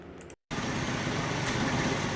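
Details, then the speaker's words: 1967 Ford Mustang 200 cu in inline six, revived after about 22 years: after a brief cut it settles into a steady, even idle with no knocking or misses; normal idle. "Okay, so kind of recap. We got her all started and running, as you can see here."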